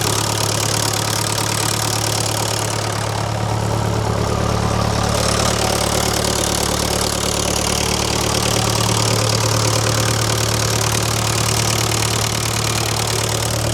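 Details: Old positive-earth, dynamo-fed tractor diesel, jump-connected to turn over faster: loud steady diesel clatter at a slow even idle over a deep low thrum, running cleanly; normal idle.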